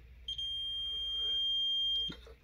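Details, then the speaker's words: Korad KA3305D bench power supply, channel 2 failed while charging a 12V lead-acid battery: multimeter diode test gives a steady continuity beep, far from the expected 511 millivolts, suggesting a possibly shorted part. "well son of a that's obviously not what it's supposed to be reading that's far from 511 millivolts"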